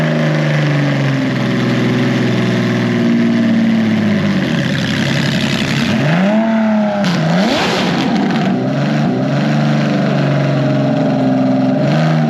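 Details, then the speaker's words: Datsun 240Z restomod with Nissan VQ37 (370Z) engine, starting once the park/neutral switch was bypassed with 12 V direct to the ECU; steady smooth idle then a clean even rev, running healthy. "but we got it running that's the cool thing it runs it starts"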